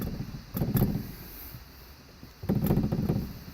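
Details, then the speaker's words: 2001 Dodge Ram with a replacement dash: two short bursts of dull plastic rattling and buzzing from a loose heater vent vibrating against its housing, before a rubber pad was fitted behind the vent. "I am prepared to put it back in behind the vent to stop the rattle"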